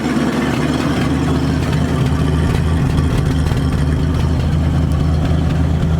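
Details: 1973 Ford Torino Sport Fastback with a 351 Cleveland, after sitting for three years on old, bad gas: a deep, heavy idle that pulses and stumbles unevenly. It is running rough while burning off the bad gas.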